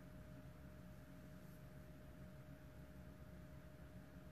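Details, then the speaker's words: BMW 118d non-starter with no communication to the engine ECU (DDE), ignition on before any work: faint, constant whine under quiet hiss from the in-tank fuel pump, which keeps running when it should have shut off. "let me wait because I can hear the fuel pump in the tank carry on going it should be off by now"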